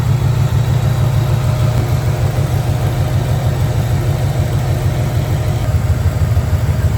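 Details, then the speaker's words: 1994 Camaro Z28 V8 idling after alternator and serpentine belt replacement: deep, even rumble with a steady beat and no misses, knocks or squeals; running smooth again, a normal healthy idle. "Yup. That thing's running smooth again."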